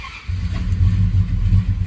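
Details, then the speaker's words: 1967 Dodge Charger with rebuilt 383 big block, after cam/distributor timing fixes and about 24 degrees base timing: catches cleanly after a brief crank and settles into a deep, steady burble; runs far better. "so that's pretty close I've got it sitting at like 24 de base right now can I actually put it in gear yes this is so much better than it was"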